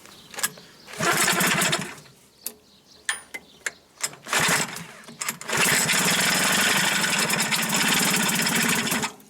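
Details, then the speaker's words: Hankai 6.0 two-stroke outboard that makes noise under the flywheel, stalls, won't start and lacks power: harsh rattly bursts that catch and die between sharp knocks; teardown found sand, dirt and oil starvation, crankshaft bearing failure. "Всех приветствую ханкай 60 обращение какой-то появляется шум под мох Виком мотор глохнет не заводится не тянет"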